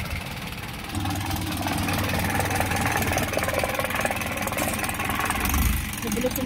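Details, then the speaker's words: Isuzu 4HG1 diesel in Japan surplus truck, original never-overhauled engine with fresh oil change: just started, steady diesel idle settles in, low even clatter with no odd knocks, yard noise behind; healthy. "So, start natin para marinig nyo yung engine. So, ito yung tunog ng 4HG1 mga kabusing."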